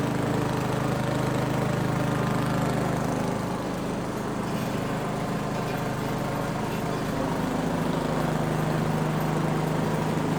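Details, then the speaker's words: Neglected Craftsman snow blower 247.889571, start at about half throttle, primed, choke off: fast steady chug with slight waver and pitch shift midway, a bit uneven; smoothed out once choked a bit. "the engine it did start and it actually sounded very good you know the carburetor was running the engine although I did have to choke it a bit to get it to smooth out but it did smooth out"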